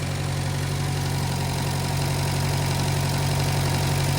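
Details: 1956 French-built Massey Harris Pony 812 tractor, Simca 9 gasoline engine, after rebuilding leaking fuel pump: steady, even low idle, constant deep drone, no misses, knocks or surging; sounds healthy.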